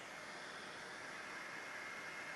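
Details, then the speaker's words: Anycubic Kobra 2 3D printer, part cooling fan at 100%, measured at arm's length: even airy rush with thin steady whistle, about 53 dB, a 14 dB increase over fan off; loud fan. "53 decibels so that's a 14 decibel increase just from turning that fan on which is kind of ridiculous just listen to this thing"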